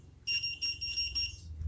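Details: Godox SK400 studio flash, very dirty, previously dead and owner-repaired, tested at 1/1 power. Repeated sharp high-pitched beeps about four a second in short bursts signal the E3 error. The lamp is also blinking and seems not to fire.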